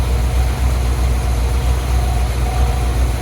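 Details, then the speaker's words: Dodge Prospector truck just after engine swap, warmed up with thermostat open, water pump still leaking: deep, steady idle with even low pulses about four a second, no knocking or ticking; engine idles smoothly. "Look at that. Oh yeah, thermostat open. Everything seems alright."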